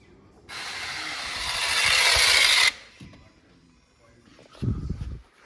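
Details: Mazda 6, 192,000 km, P2118 throttle actuator fault, ignition on, engine off: harsh rising grinding hiss for about two seconds then stops dead; stripped throttle actuator gears, throttle body replaced.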